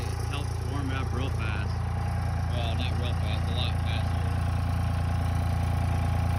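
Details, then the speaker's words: 1999 Dodge 2500 5.9 24V Cummins started around -3°F in Iowa, unstarted for weeks: steady deep diesel idle at raised speed with a slightly lumpy beat, the normal cold three-cylinder high-idle warm-up mode. "it's gonna go into high idle that should kick into three cylinder high idle right"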